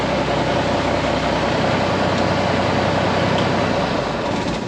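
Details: Old Ford water truck started from the cab key, in neutral, after ignition shut-off rewiring: steady, even engine drone with a low, regular pulse, no misses, knocks or stumbles; runs smoothly.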